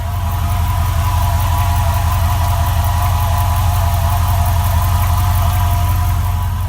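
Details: 2004 4.7 HO engine, cold idle with a dull tap about three times a second from the bottom and rear of the engine. It goes away at operating temperature; cause unknown.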